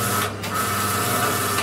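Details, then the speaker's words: Fryrite fryer oil filter machine pump on a test run before filtering: steady, even motor whir with a constant mid-pitched tone and no knocks or grinding. The pump is turning normally. "Now we always like to give it a test run just before we do a filter, so we can switch it on now. And you can hear that's actually turning."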